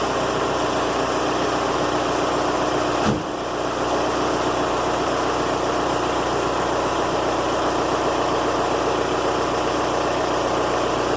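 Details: Volkswagen Golf mk4 TDI diesel idling after the old 5-year-old Bosch battery was replaced with a group 47 Deka with 650 CCA. A steady, even diesel clatter holding a constant speed with no misses or knocks; a healthy, normal idle.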